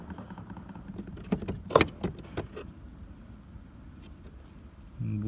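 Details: Renault Scenic after a no-start repair (a nearly rotted-through green wire found): keys rattle, then the engine catches and settles into an even low hum; a clean start.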